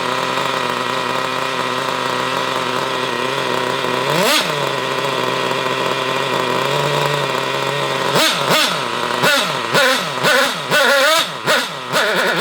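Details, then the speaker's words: Hobao Hyper cage nitro buggy, engine previously seized: high-pitched buzzing revs that blip up and fall back in short uneven bursts, thin and lean-sounding; owner blames an unhealthy carburetor rather than tuning and expects running it to help. "It needs to be tuned and all this other bollocks that you all talk about, but the carburetor is not very healthy, so that's why it sounds like that."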